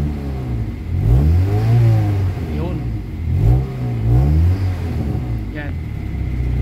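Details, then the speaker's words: Kia Pride after XADO engine treatment, air conditioning on and cold; smooth steady idle back to standard about 780-820 rpm, climbing cleanly through brief revs and settling evenly: engine running healthy. "So bumalik na yung RPM niya into standard na idle idle idle ng RPM is NASA mga almost nasa mga 00 ito 820 o 780 yan"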